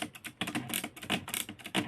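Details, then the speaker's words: Consul 1511 portable typewriter after bending the detent roller back up to engage the platen ratchet teeth: crisp mechanical clicks in quick succession as the carriage return lever indexes the platen line by line; line spacer clicking normally again. "it makes that wonderful clicking sound and we can divide each turn of the platin by the width of one line with each and that's awesome"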